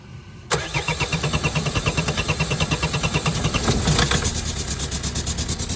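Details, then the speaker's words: Renault 1.9 dCi diesel in a Vauxhall Vivaro/Renault Trafic after a diesel runaway: starts into a loud heavy knock about three times a second over rough idle, oil light on; owner suspects head gasket, engine likely finished. "it starts but knocking its tits off sounds like the head gasket's chopping and oil lights are on"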